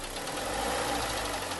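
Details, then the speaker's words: 2011 Kia Sportage 3 with 2.0 G4KD petrol engine, 96,408 km, one owner: briefly revved, a hollow rapid knock rides over the engine note, piston slap from scuffed cylinders needing engine repair. "не надо иметь слуховой аппарат чтобы услышать этот стук поэтому будем с вами это двигатель чинить"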